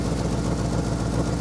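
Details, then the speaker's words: Ford F100 390 FE V8, worn engine needing rebuild, idle mixture screws reset to 1.5 turns: uneven, stumbling low idle where a cylinder or two drops out; owner thinks six maybe seven cylinders firing. "we'll do"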